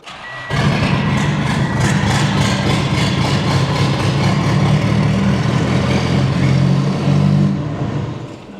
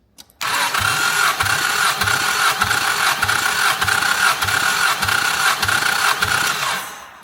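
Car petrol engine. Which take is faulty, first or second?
first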